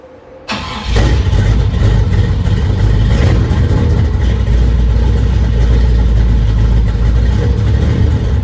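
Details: 1957 GMC truck, first start after fuel pump and line work, exhaust dumping open before the exhaust is finished: quick crank, immediate catch, loud steady low rumble with no misses; starts and idles normally.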